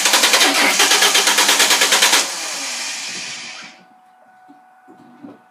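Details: 2000 Ford Mustang 3.8 cranks evenly but won't start; it sometimes sputters or coughs. Plugs and wires were changed, the battery is new, and a pulled plug is black and fuel-wet. There are no codes and the fuel pump can be heard. Cause unconfirmed.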